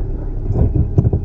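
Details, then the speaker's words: Cheap used Suzuki kei sports 4WD at under 10 km/h on sharp left or right turns: low, irregular groaning rumble with uneven surges; owner suspects the viscous coupling, not confirmed. Low-speed rumbling when turning. "低回転の時低速の時か10キロ以内の時に右とか左とか凄い舵角多く曲がるとなんか音がするねぇ"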